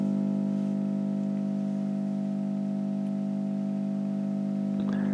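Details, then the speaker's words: 1960 Telefunken Capricho U2025 FM valve radio, bad 35W4 rectifier bypassed with a resistor, set to shortwave: steady low speaker hum, no tuning noise; another fault still remains to be found. "Tengo en este momento puesto la onda corta, pero no tiene ruido de sintonía."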